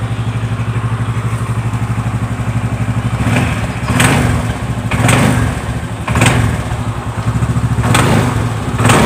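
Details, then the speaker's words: Yamaha Xeon GT125 scooter idling: a sharp knock ("jedak-jedak") from the CVT housing each time the throttle is first cracked. "nah ini motor ini keluhannya bunyi jejak-jejak di bagian bak CVT gasnya bisa saya perlihatkan sebentar ya"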